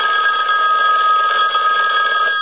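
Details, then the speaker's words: Red AT&T rotary dial 500 desk telephone being rung on the bench during testing: a bright, steady bell rings evenly for over two seconds with no rattle or drop-out; ringer works properly. "So now what we can do, since we know that these telephones are ringing in on a ring cycle, they're dialing out, they have transmit and receive, we can go back over to the yellow unit and we can push this button on the switch box."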